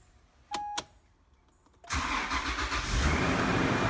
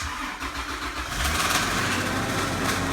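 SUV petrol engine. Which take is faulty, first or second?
second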